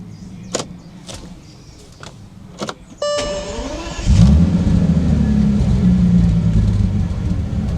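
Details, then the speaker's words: Classic car collected as a bargain, showing a system fault, started and driven off: engine catches into an uneven, lumpy low rumble with no steady beat; rough running engine, cause not found. "So, the tires are up. This car's quite poorly. System fault."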